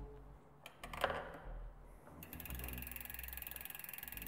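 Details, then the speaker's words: Bicycle disc brake after pads were realigned and the caliper retightened in stages: some handling knocks, then the spun wheel ticks steadily and quickly with no scraping; the brake runs free. "Und jetzt läuft das frei und ohne Schleifgeräusche."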